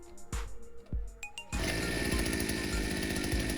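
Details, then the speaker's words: Two-stroke petrol brush cutter/strimmer unused for a few years, after its dirty fuel tank was cleaned; primed, it starts straight away on the pull cord, a few uneven pulls then a steady buzzing run with no cutting out as it warms up; running normally. "And it started up straight away. Just going to see if it runs. Let it warm up a bit."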